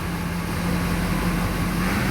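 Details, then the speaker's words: 2005 Duramax diesel, 170,000 miles, idling: low drone swelling up and down in an idle surge, with fuel pressure on the scan tool swinging from about 5,000 to nearly 10,000. "see that see that surge then it goes down then it goes up"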